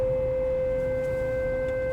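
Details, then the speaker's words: Renault Kadjar driving in normal motorway traffic over a bridge: a single pure, steady mid-pitched hum in the cabin; source not found, and the owner disputes being told it is normal. "Arabam giderken yine böyle uğultu olan bir ses arabamda oluştu hiçbir şey yok normal trafikte seyrederken Renault kadjar'ın uğultu yaptı"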